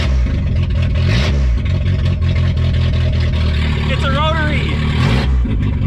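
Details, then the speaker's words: Junkyard VW Golf 3 (Mk3) just revived after sitting, missing battery and coolant flange: very loud, raw, deep blat at idle and on each blip with no muffling, exhaust open after the catalytic converter. "the last thing i ever expected was to start this car and have it just wow it's loud hits are really loud"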